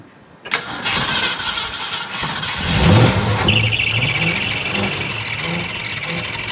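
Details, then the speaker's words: Long-stored 1965–66 Mustang 289 on its Edelbrock carburetor, which is described as dead, catches and runs unevenly while trying to pull fuel, then fades: fuel starvation, though there is no knocking or missing. "This carburetor's like dead in the water. But I'm just trying to see if some of this gas clean the needles up and stuff before I totally abandon this carburetor. It's still trying to pull fuel in."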